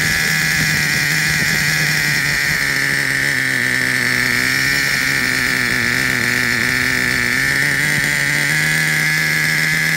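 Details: Traxxas Revo 3.3 nitro engine: constant high-pitched buzz at steady idle, holding pitch with no sputter or misfire; engine healthy, though truck needs new transmission, spur gear with missing teeth, starter motor and one-way bearing.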